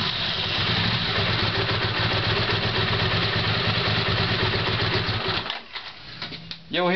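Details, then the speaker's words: Honda CX500 after carburetor installation, cranking: laboured uneven cranking, then a high scream from the starter motor, not the engine, and clacking as the engine kicks back and turns backwards because ignition is poor. "screaming sound that's from the starting engine that's not the engine itself that's only the starting engine you are knocking on clock sound that's when the engine is turning backwards because there is not a good ignition"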